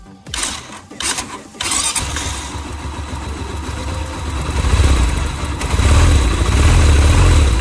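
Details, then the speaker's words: Motorcycle engine after repair for a loose timing chain rattle, with new timing chain fitted and tensioner reset: cranks and catches, then settles into a steady low idle with no top-end ticking or chain slap; quieter after the chain replacement. "换了链条之后，是不是感觉安静一点了？"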